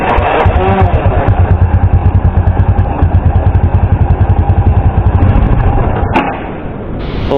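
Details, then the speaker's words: Small motorcycle after riding through flood water: new spark plug gives strong spark, but engine chugs unevenly, falters and dies when throttle opened, from water in carburetor; air cleaner checked next. "Kaso nga lang pagka bibigyan na natin ng gas o ibikit natin iyung throttle eh nalulunod siya at namamatay."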